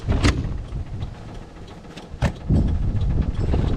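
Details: 95-year-old 1929 Bugatti starter cranking in neutral with magneto off: slow, uneven low churning with sharp scrapes as the pinion slips on worn flywheel ring gear teeth.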